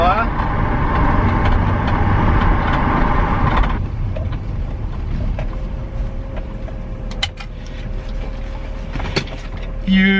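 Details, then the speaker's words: BMW E46 323ci inline-six after a no-start and misfire fix, driven under load: strong, even pull settling into a smooth, steady run with no stumble or misfire. Healthy running. "beauty she seems to be round and smooth smooth she seems to be running smooth ads after that trip so happy with that"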